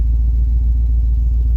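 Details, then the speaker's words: Engine idling after a cold start, having barely run for a week: deep, loud rumble with a steady low pulsing beat from a bad exhaust leak. "got a pretty bad exhaust leak on it"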